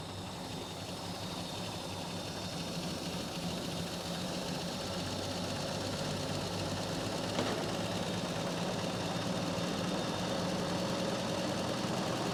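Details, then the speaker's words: 1953 Chevy 3100 truck, 235 inline-six with 4-speed manual, long-sat farm truck, settles into a steady, even run with no knocks or misses, growing slightly louder; normal running after revival, though the carburetor is leaking. "nonetheless though it does run which is super awesome"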